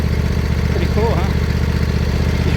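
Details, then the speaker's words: John Deere LA120 mower, owner thinks a 21 hp Briggs twin, after revival and mowing tall grass: a healthy idle with a smooth, even, quiet low putter and no knocks or misses. "great it's not it's quiet smooth as you expect"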